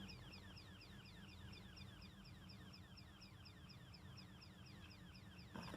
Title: Electrical Switchboard Chirping Sound